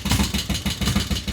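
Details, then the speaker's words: Harley-Davidson Road King, first fire-up after Magneti Marelli EFI to CV40 carburetor conversion, choke pulled, neutral: rapid ticking about eight a second over lumpy twin idle; suspected stuck lifter, oil not yet flowing, unconfirmed. "Knocking a little bit. We've got to get some Got to get some oil flowing. We've got a stuck lifter, it sounds like. But, it runs."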